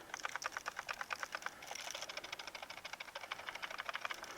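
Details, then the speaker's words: Go Power PWM solar charge controller in a Rockwood Minilite 2109s, overheated, smelling burnt, LCD partly burnt, 11 amp parasitic draw: rapid dry clicking about seven ticks a second with no motor underneath. Failing controller, replaced with MPPT. "pretty sure your charge controller isn't supposed to make that noise."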